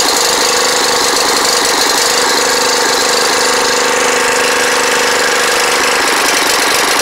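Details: Snapper riding mower on its first start in 4 years, harsh clattering noise with an uneven, choppy beat and no smooth low hum; rough running.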